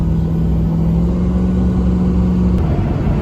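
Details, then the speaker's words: 2007 Ford F-250 6.0 Power Stroke diesel with SCT tuner in street mode, driving: deep even rumble and steady drone, no knocks or misses, temperatures fine; truck otherwise has a won't-crank-when-hot problem. "she's a pretty good truck for the most part see all my temperatures are fine and everything's running good"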